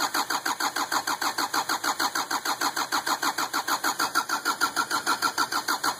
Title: 2550xp hard start